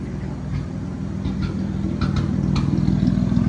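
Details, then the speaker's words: 1929 Chrysler Type 66 Speedster engine just finished and running, deep even burble with a smooth rise in revs, no knocks or misses; healthy engine. "Oh, listen to that. That sounds so nice."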